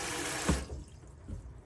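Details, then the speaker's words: Autoquest 160 motorhome sink hot tap with pump on, drawing water through the boiler; water rushes out smoothly and evenly then stops, no sputtering or spitting air; boiler full, normal flow. "so i can see right now the water's coming through nice and clearly and there's no air being coughed out anywhere there's nothing nasty happening at all"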